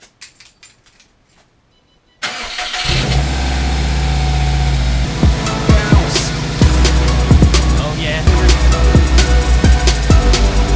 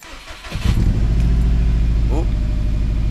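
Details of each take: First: Subaru after replacing the failed cylinder 3 ignition coil (P0303 misfire): a few clicks, then the engine cranks and settles into a steady, even idle under background music, running smoothly. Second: Subaru after sitting all day, cold startup: brief crank, then a lumpy, uneven idle; cylinder 3 misfire detected (P0303) from a failed ignition coil, to be replaced.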